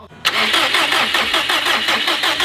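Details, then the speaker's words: 2005 Subaru STI after full engine rebuild (new head gaskets, valves, retainers, seals), cranking without start: starter spins engine at an even, rapid beat with no valve contact knocks; normal cranking. "oh okay you sounds fine yeah it sounds like sounds beautiful just like cranking over if a valve was smacking anything we'd hear it"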